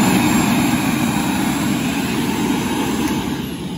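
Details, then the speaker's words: WAXIE Versa floor scrubber during preventative maintenance: vacuum motor runs with steady airy roar and winds down cleanly, no rubbing; sounds normal, though low pump pressure was found. "so I listen for the back motor when it winds down that sounds okay"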